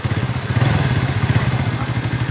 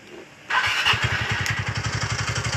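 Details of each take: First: TVS Ntorq scooter after the loose magneto flywheel rotor was tightened: even, steady low putter with firm regular firing pulses and no knocks or rattles. Engine now running smoothly and normally. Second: TVS Ntorq scooter: engine catches and settles into busy idle with rattly metallic chatter on top from a loose magneto rotor on the crank; fixed by removing and tightening the magneto.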